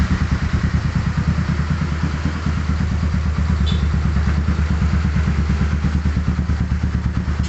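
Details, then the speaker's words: Modified Yamaha Scorpio single-cylinder, after new spark plug replaced a black fouled one: lumpy thumping about three beats a second with a tek-tek tick; suspected cylinder-wall leakage burning oil, rough running and stalling. "sehingga terlihat dari mesin hidupnya pun ngeletek tek tek tek tek tek itu teman-teman ya tek tetek sehingga pun sudah pasti sudah dipastikan terjadi Jadi ke kebocoran di mesin"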